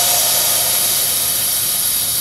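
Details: 2007 Ford F-250/F-350 6.0L Powerstroke with a crank, no-start: air test of the high-pressure oil system with the valve cover off and the engine not running. A steady, loud, high-pitched hiss of air escapes past a torn standpipe o-ring.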